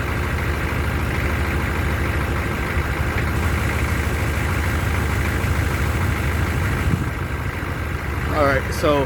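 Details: 1994 Chevy C3500 HD 6.5 turbo diesel, code 36, cold/first-start hard starting, around 80°F: steady low idle clatter with a slightly uneven beat after a hard start; owner suspects fuel prime loss, doubts glow plugs, cause unconfirmed.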